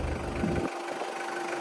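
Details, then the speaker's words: 2001 Toyota Qualis diesel at its first service after 2000 km following engine rebuild for oil consumption, with oil service and nozzle cleaning; low steady idle clatter with an even beat and no misfire, tuning sounds correct. "മിസ്സിങ്ങോ കാര്യങ്ങളോ ഒന്നുമില്ല. എൻജിൻ്റെ sound തന്നെ ഞാൻ നേരത്തെ നമ്മൾ engine പണിത് കിട്ടപ്പോൾ തന്നെ ഞാൻ പറഞ്ഞു അതിൻ്റെ ട്യൂണിങ് കറക്റ്റായിട്ട് നമുക്ക് ഫീൽ ചെയ്യാൻ പറ്റും."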